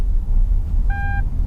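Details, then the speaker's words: Car pulling away with engine rumble and two steady mid-pitched beeps: warning that the handbrake is not fully released, making the car feel heavy and struggle to pull away; dashboard handbrake symbol also lit. "So as you pull away, you may feel the car's heavy and is struggling to pull away a bit. That's because that beep is the handbrake's not fully released."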